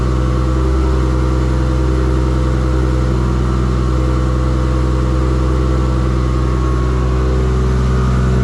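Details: Engine after the build, with full exhaust and silencer, gives a strong, even exhaust drone and revving with no misses, knocks or ticks; normal running. The LS alternator on its kit is putting out too much voltage and not regulating.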